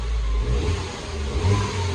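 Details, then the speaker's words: Mini Cooper S salvage rebuild, turbo four-cylinder fitted with new auxiliary belt and used turbo water pump: short free revs rising and falling cleanly, no knocks or misses; engine sounds healthy despite code P0036 (heated O2 sensor bank 1 sensor 2); earlier popping and crackling. "sounds good though. It was popping and crackling earlier as well."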